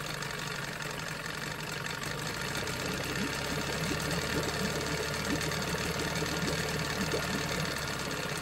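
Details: Johnson 9.9 two-stroke outboard after carburetor rebuild and new plugs: even, quick ticking idle near four beats a second, no misses or surging, settled healthy and quiet; normal idle.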